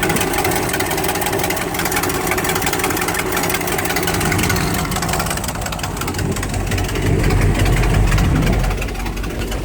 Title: Exhaust leak 2